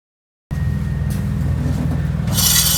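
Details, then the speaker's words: Aprilia SR 125 scooter front disc brake, wheel turning: harsh rhythmic metal scraping with hiss; pads completely worn through, grinding and damaging the disc, which also needs replacing. "Il doit être remplacé à l'avance avant que cette condition ne se produise. Les plaquettes sont complètement usées."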